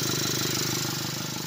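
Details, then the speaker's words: Ford Territory with check engine light on, A/C compressor and auxiliary fan not working, idling: uneven, pulsing, choppy idle, the engine shaking; noisy, mechanic attributes it to a malfunctioning throttle. "So ayan, naririnig ninyo, maingay. Yung ingay na yan, kung nalalaman ninyo guys, ito yan maingay, yung throttle nya. Ito yung malfunction throttle nya."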